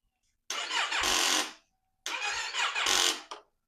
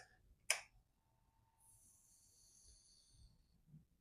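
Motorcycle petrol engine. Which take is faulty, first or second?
first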